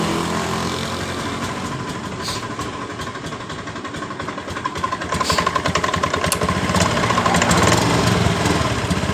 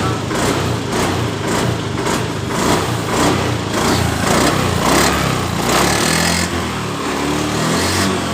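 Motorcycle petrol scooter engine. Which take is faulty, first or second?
first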